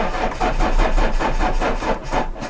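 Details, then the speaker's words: Renault Clio 2 phase 1 (2000), 1.9 diesel, suspected electronic fault: slow, laboured cranking about four to five pulses a second that never catches; crank no start, battery now drained, fault codes to be read. "donc même la batterie elle en peut plus on arrive vraiment plus à démarrer le véhicule"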